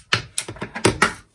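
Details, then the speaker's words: Makita DCF203 cordless fan, tilt joint head turned by hand: six crisp, sharp clicks in about a second from the internal ball ratchet, similar to drill ratchets; normal ratchet clicking. "Как я понимаю, здесь внутри сделана трещотка. Сделана она с помощью шариков, по примеру, как в шуруповертах."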